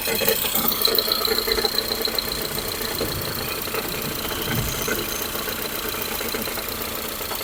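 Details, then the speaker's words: Ford Fusion 2.0 at start-up: a loose, uneven metallic rattle of about two or three knocks a second over a steady idle, caused by a broken flywheel ring gear and not the engine; the fix is replacing the flywheel. "então é esse barulho aí eu vou desligar e vou dar partida no carro vocês vão ver que faz um barulhão né pode desligar o carro e você molhou o barulho que faz essa cremalheira tá do volante"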